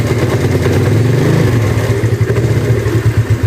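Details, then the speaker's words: Yamaha Mio Sporty carburetor scooter, new carb vacuum fitted, compression good: idles fairly evenly but revs sag and stumble when throttle is first opened; cause found to be a worn needle jet. "untuk langsam dia mau ya bagus kalau untuk langsam tapi kalau untuk ditarik gas awalnya"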